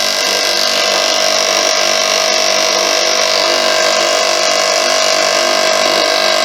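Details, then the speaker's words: Free air compressor fitted with a newly made, thicker head gasket runs at a steady, even hum with no rattle or knock, showing the piston is not hitting the head plate; normal running. "which it doesn't so the piston isn't hitting that head that plate so that's okay in other words that gasket is thick"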